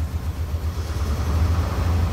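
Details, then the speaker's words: Truck with distributor ignition, stored almost a year, check engine light on, complaint of no power, hesitation, bucking, pinging: deep uneven idle with rhythmic heartbeat thump, dead cylinder misfire at idle. "you can hear the misfire okay you hear a thump thump thump thump thump thump thum thump that's a misfire it's a dead miss right now at idle"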